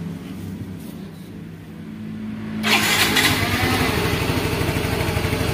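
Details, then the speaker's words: Yamaha Mio M3 / X-Ride Blue Core scooter after air-fuel control reset to zero: engine starts cleanly and settles into an even, steady putter at about 1500–1600 rpm, no hunting or stalling; normal start and idle. "ini agak lumayan enak ya rpm-nya kita taruh di 16600 atau 1500 lah00 itu sudah kecil"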